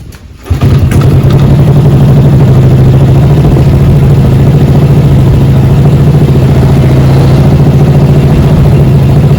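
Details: 2009 Honda Wave 110i S3 motorcycle after throttle body cleaning to fix stalling when pulling away. Engine catches after a brief crank and settles into a steady, even low idle that holds without stumbling or dying.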